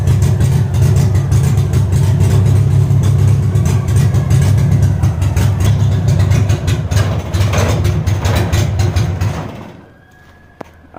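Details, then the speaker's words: 1963 Austin Healey Sprite Mk2, retired race car: loud, rough, uneven running through a straight header that stumbles and dies after about ten seconds; won't stay running, cause not confirmed. "All right, as you guys can see there, it's not wanting to stay started."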